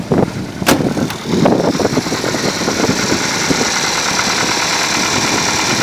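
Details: 1992 Opel Astra F, C18NZ engine, 265,000 km, automatic gearbox, cold start before hydraulic lifter replacement: fast, dry ticking from the top end at idle, hydraulic lifters knocking.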